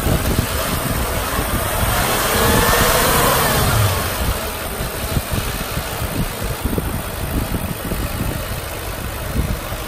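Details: 2008 Audi S4, about 66,784 miles: idle climbs smoothly through a quick blip and settles back to an even purr with no rattles or misses; healthy engine.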